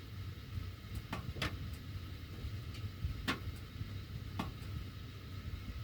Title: CAN ANYONE EXPLAIN WHY MY DUCTWORK MAKES THIS NOISE WHEN MY HEAT IS ON